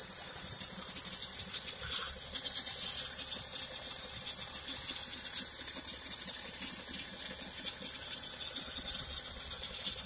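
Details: 2012 BMW E70 X5 diesel: steady hiss with a watery filling sound from inside an unidentified tank in the engine bay; cause unknown.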